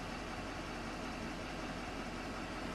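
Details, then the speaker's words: 2500HD 6.6 Duramax diesel truck idling after restart following accidental 8 gallons of gasoline added to 15 gallons in tank; cranked a while then fired; quiet, even diesel rumble, no misses or knocks; running good, owner checking filter for leaks. "sounds like it's running good up there down there I always want to double check it"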